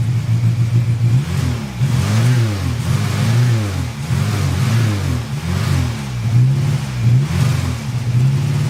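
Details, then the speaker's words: 1985 VW Cabrio with CIS fuel injection, off the road 17 years, just fitted new spark plugs; electrical problem suspected. Engine surges and sags in repeated blips, only held running by pumping the gas, won't idle on its own: hard starting. "although it will not start unless I'm pumping the gas and this is the CIS system so it's probably no need for me to do that"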